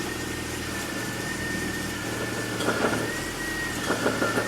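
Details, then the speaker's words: BMW X5 E53 with M54 engine idling under a thin whine; holding the steering at full left or right lock gives short bursts of quick knocks, heard clearly at the rear of the engine bay and from below. "если рулём сейчас довести влево или вправо до упора будет исходить посторонний звук в виде стука"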